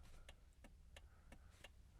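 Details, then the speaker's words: 1980s Toyota, Australian-assembled, hazard warning lights on in cabin: steady crisp relay clicks about every third of a second; hazard flasher working normally. "it's a good noise I'm liking that"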